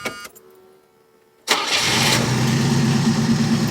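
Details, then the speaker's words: Chevette running Keihin CV motorcycle carbs with new idle jets, a reset idle circuit and resealed carbs, dead cold start: quiet crank, then it catches and settles into a fairly steady cold idle with a slight wobble, running much better. "No way. That's running way better. Oh, there we go. Starting to read. She's a little wobbly,"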